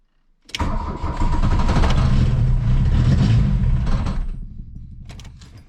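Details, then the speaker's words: 1982 VW Rabbit diesel, cold start with cold choke out after glow plugs: cranks, catches and runs rough about three seconds, then revs sag and it dies; won't hold idle. "and to die out now I'm going to give it a little gas after I get it started now it acts like it wants to run a little bit actually so we'll see what's going on"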